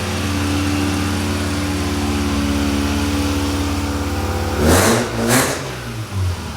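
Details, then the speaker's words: 1991 Mazda RX-7 FC3S S5 convertible 13B rotary with a new Pacesetter exhaust, recorded inside a garage after a manual swap: buzzy idle, then two revs that crackle and rasp at the top; raspy exhaust note. "I don't know how well you can hear me, but it's a little raspy."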